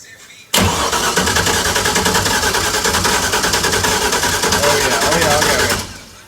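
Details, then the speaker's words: LS V8-swapped FRS cranking steadily for about five seconds without firing. Cylinders flooded. "and so many the screen for summers that was no fuel though the cylinders are flooded let me I'm let me crank it again just to get the it's that's why it's not starting"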